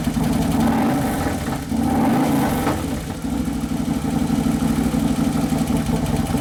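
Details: 2011 Harley-Davidson Road Glide (FLT) Twin Cam V-twin idling on its first heat cycle after motor and primary repair: even, steady idle with a rhythmic lope, no knocking or ticking; engine settling in normally.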